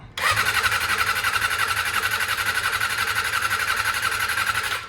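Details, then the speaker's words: Barn-find Honda MC19 CBR250RR four-cylinder, stored 18 years without gas, on a first start attempt with a double battery, choke on and tank off: the starter cranks with a steady rhythmic pulse, but it never catches. Owner suspects not enough fuel yet and tries starting fluid. "let's uh give it some starting fluid I think it's just not enough gasket into it yet"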